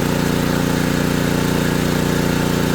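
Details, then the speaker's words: ETQ3000 3000-watt portable generator after repair, under 1500-watt load: steady, even engine drone at constant speed, no hunting or misses; running normally under load. "So, that's 1500 watts. Let's let it sit there for a minute."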